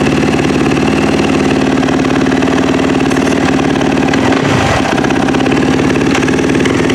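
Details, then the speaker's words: Yamaha YZ450F after top-end rebuild and cam timing setup: crisp, steady single-cylinder beat with clean throttle blips, no knocks or rattles; healthy, strong running. "see if that went down at all oh beauty this bike sounds so nice"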